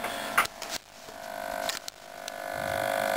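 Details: Lynxmotion Johnny 5 robot servo, torso held by hand: thin, steady mid-pitched hum while the servo holds position, with a few handling clicks; buzzing under strain. Owner wonders whether springs are not tight enough; cause unconfirmed.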